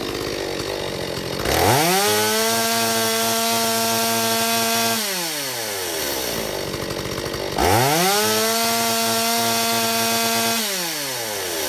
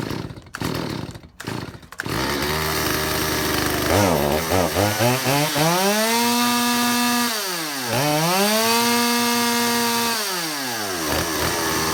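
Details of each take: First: Stihl 025 chainsaw after fuel line orientation and metering lever corrected and carburetor adjusted (one turn open): revs cleanly to a high steady scream in each cut, about 13,000 rpm no-load top, drops smoothly to about 2,800 rpm idle; runs well. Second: Stihl 025 chainsaw after two mechanics' carburetor work: revs surge and sag unevenly, never steady; lean, hunting running.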